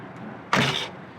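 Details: 1998 Subaru Impreza coupe door closing with a sharp, tinny metal-on-metal clunk and a brief rattle instead of a solid thud, before taking the door apart to check for loose parts and add sound deadening.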